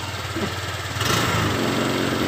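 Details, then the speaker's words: Honda Vario 125 LED scooter that sometimes dies while riding, throttle blipped: uneven idle, then rough unsteady pickup as if about to die; owner suspects loose cables or sockets, side-stand switch or ignition wiring. "Coba digas ya coba ya. Kayak berbet mau mati ini loh pokoknya."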